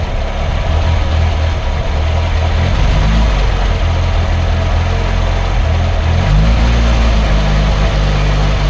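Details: Triumph Herald Estate, first start after refitting the exhaust and inlet manifolds and carb: lumpy idle whose beat wanders and dips instead of holding steady. It revs well but chokes up when the throttle is released, and the owner suspects over-fueling.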